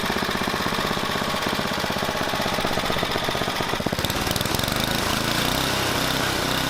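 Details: Tecumseh Snow King snowblower single-cylinder engine after carburetor replacement: rapid steady putter holding speed without surging or dying; running normally.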